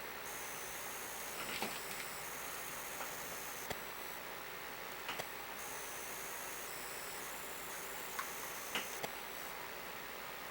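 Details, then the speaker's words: Commodore 1541 floppy disk drive: quiet hiss with scattered sharp head-stepping clicks every second or two; intermittent read failure, motor spins then stops, cause not yet found. "all right well there we have a partially working 1541 um still not completely sure why the other drive is not working"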